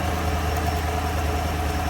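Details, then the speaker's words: 2015 Chevy Silverado 6.2L direct-injection V8 idling with a live cylinder five misfire: rough, lumpy beat from one dead cylinder; compression checked, not plugs or coil, suspected lifter riding too high, no collapsed lifter or broken valve spring. "start it up and let it idle cylinder five okay current misfire cycling up"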